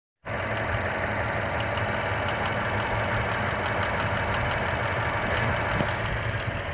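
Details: Chevrolet Cruze petrol engine at idle: sharp, irregular ticks over the steady hum, much louder than the normal engine tick, happening intermittently on some starts and seeming to come from just behind the engine; the dealer couldn't replicate it twice.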